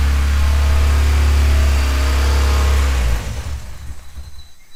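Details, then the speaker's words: 1995 Honda Civic Si with engine swap, long neglected, after timing advanced to about 18 degrees: loud lumpy uneven low-pitched running with raspy exhaust note, then drops away; exhaust is leaking and likely misfiring, check engine light on, cause unconfirmed. "sounds awful don't yeah well the exhaust is uh leaking but it kind of sounds like it's misfired obviously"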